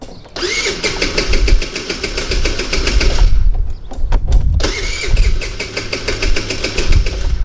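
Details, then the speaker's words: 50cc Tao Tao Chinese four-stroke scooter, extremely hard to start and won't stay running once started; two long bursts of rapid starter cranking without catching. Cause is valve lash set too tight; fix is a valve adjustment. "once it is started, it doesn't stay running."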